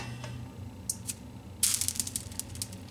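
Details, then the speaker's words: 25-inch Neotec NT-2501 arcade monitor chassis fitted with an NT-2515C flyback, first power-on without video signal: faint hum, then sharp crackles and snaps as high voltage comes up normally. "It turned on. We got high voltage, I can hear it."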